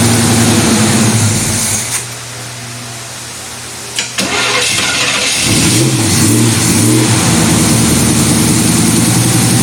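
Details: Hot-rodded 1933 Buick sedan street rod after about five years in storage, carburetor refilled, 30 psi pressure on cranking: cranks, fires, revs up and settles into steady even running; starts normally.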